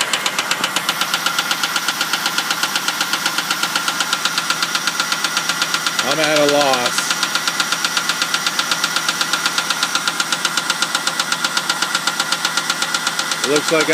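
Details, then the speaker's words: 2000 Ford Crown Victoria started via bump switch on the solenoid because the key would not crank; loud sharp even ticking about four per second at idle, top-end tick, source not pinned down, small passenger-side leak. "so it's got a real loud tick"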